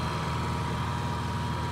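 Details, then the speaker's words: Honda EU7000 fuel-injected inverter generator, restarted after tripping its breaker at 7700 W, breaker flipped to drop all load: steady, even low hum with a faint constant tone, no surging or knocking; healthy no-load idle. "we flip this breaker and it will take all the load on foot there we go that's no load"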